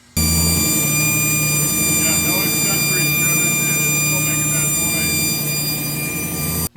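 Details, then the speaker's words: Engine on newly installed Megasquirt ECU, cold start: constant high whine steady over engine, unchanged with alternator, power steering, AC and water pump belts removed; seems from front, transmission feared; source unidentified. "i think i'm gonna have to get a stethoscope and see where that sound is originating from i really have a hard time uh figuring it out it almost sounds like it's coming from the front"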